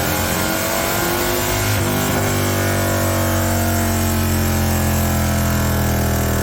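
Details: High-mileage Harley-Davidson V-twin with S&S 129 Power Plus kit, big injectors and kit cam, on dyno after tuning: pulls strongly under load, pitch climbing smoothly then holding steady; clean normal power run, 136 hp, 154 ft-lb, all mid-torque.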